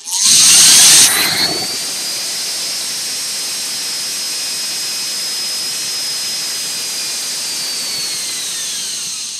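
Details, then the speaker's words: DC motor driven by a prototype 100A HHO/motor speed controller: high whine spins up, holds, winds down, with dry fizzing crackle from heavy brush arcing; motor in poor condition, repeatedly shorted out. "There's really a lot of arcing going on with this motor. But yeah, this motor is not in the best condition, and you know, whacking up like that probably didn't help. You can hear the crackling."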